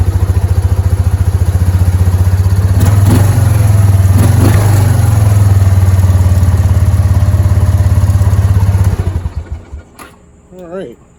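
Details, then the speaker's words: Kawasaki Prairie 300 ATV just after fitting new exhaust collars to replace badly worn ones. Steady, even fast-idle thump with no hiss or ticking and quieter than before, then it stumbles and dies as it runs out of fuel. "So sounds good. It's not extremely loud like it was."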